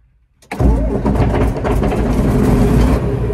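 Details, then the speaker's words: John Deere 8630 tractor diesel, started right after oil change, new oil filter and two fuel filters, fuel primed: cranks briefly, catches within half a second, settles into steady even idle, no misses or knocks; normal idle, better throttle response. "Well, I guess she didn't dial it. Pretty good to me."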